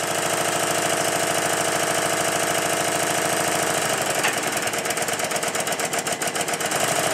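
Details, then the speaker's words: Stuart triple expansion model engine after connecting the link pipe from high-pressure cylinder exhaust to intermediate cylinder inlet: steady, regular exhaust beat easing into a lighter, quicker rhythm, running smoothly and much better than on the high-pressure cylinder alone. "in this next clip the engine is running much better because I've connected the first of the link pipes exhaust from The High Press cylinder to the inlet of the intermediate pressure cylinder"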